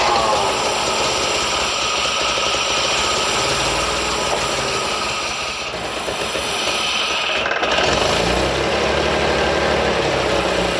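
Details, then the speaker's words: 1973 Datsun 240Z after years of sitting, fuel lines and gaskets replaced, fluids changed, warm but sat an hour, not yet tuned: busy slightly uneven idle with a fast irregular beat and a mid-clip dip; rough idle. "It's not warm. I mean, it is warm, but it's been sitting for about an hour, and I don't have it completely tuned up yet."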